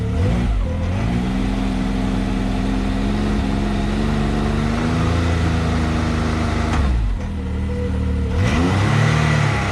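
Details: Can-Am X3 after clutches returned from KWI and belt installed, held at 3,500 rpm: steady mid-pitched drone with smooth even drive note, no slapping or rattle; clutch washers aligned, CVT running normally.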